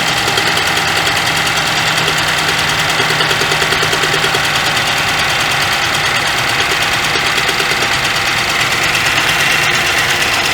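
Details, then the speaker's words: 2012 Chevrolet Traverse 3.6L V6 with P0300/P0304/P0354 codes, after new plugs and coils on cylinders 3 and 4, spark tester fitted: hissy, ticking idle with faint uneven beat and a skip heard while cranking; suspected misfire. "noticed it had a skip when i was cranking on it that is really not good and it is firing the spot plug"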